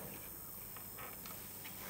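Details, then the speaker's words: Weak 12 V DC switching supply in a hot/cold water purifier with a chip cooler, fan and sensor connected: loud high-pitched "zip" whine over low hum; chip fails on this supply but works on another. "Khi mà đấu cảm biến vào thì nó quay rất là tích như thế này rồi. Và cái tiếng này kêu rất là to. Tiếng zip."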